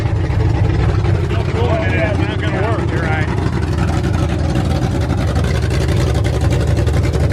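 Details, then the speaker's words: Ford F100 V8 first start after new aluminum heads, Quick Fuel 600 cfm dual-feed carburetor, open headers, no cooling system: loud revving settling back with crisp even beat; no valve train noise, runs healthy. "there's no valve train noise everything sou"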